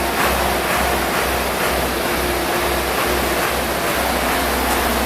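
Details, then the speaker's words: Spray foam rig generator started while holding the oil-pressure bypass push button for about 3–4 seconds until oil pressure builds, breaker off; loud, steady engine roar with an even low thump about twice a second, no misses or knocks. Normal generator run. "So I'll fire the generator up. After that, you're not going to be able to hear, but I'll run through the sequence."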